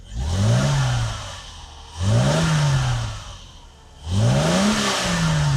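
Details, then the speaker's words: Mercedes W126 300SEL, about 130,000 on the odometer, cold start at 40 degrees after fuel distributor overhaul and new fuel pump, filter and accumulator; idles at 800-plus rpm, three clean throttle blips rise and settle smoothly, no misfire or clatter, healthy engine. "这一点就着了，转速目前看到是800多。看冷车提速也OK。"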